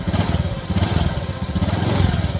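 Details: 2019 Honda Beat ESP scooter after replacing the TPS sensor, fixing hesitation off idle: quick, even single-cylinder putter with a steady low tone; idles smooth and settled, no hesitation.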